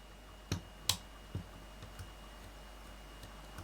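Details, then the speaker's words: Peco PL-10E point motor with PL-15 micro-switch, centred under the baseboard while the point is thrown by hand: a few sharp quiet clicks with a clean over-centre snap; point motor correctly positioned. "There's very little noise there at all. With this, what you're hearing underneath is the point motor click. So that's in the right place."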